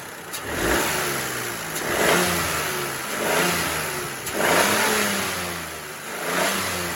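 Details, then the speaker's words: Peugeot 208 1.2 three-cylinder engine, one year of ownership, several quick revs: revs rise and fall cleanly with a light tick on top, described as normal for these ticky 1.2 engines. "I'd like to also put out there, these engines are generally quite ticky, being a 1.2. 3-cylinder mainly, and that is normal with these little cars, so just going to put that out there before I start revving."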